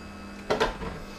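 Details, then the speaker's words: Philips masticating juicer with a screw mechanism and quiet motor, first use: a steady low motor hum with a couple of soft knocks as the screw takes up; quiet, even running with nothing rough or grinding, normal. "it's not very noisy eater so it's quite good news"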